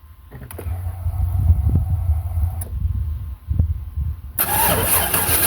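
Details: Chevy Suburban with a 350 V8, cranked on a 2019 side-post battery that died after about three years, sat 2.5 years and was revived over two days. Uneven cranking pulses churn for about four seconds, then the noise jumps up as the engine seems to catch and run.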